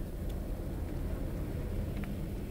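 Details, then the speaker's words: 1998 Opel Astra G 1.6 16V X16XEL at warm idle after about 66°C coolant: a low, mostly steady rumble with slight remaining unevenness, after surging from choke-off until about 68°C. The engine ECU was later replaced and that fixed the surging. "i teraz niby już prawie chodzi równo nie do końca ale jednak"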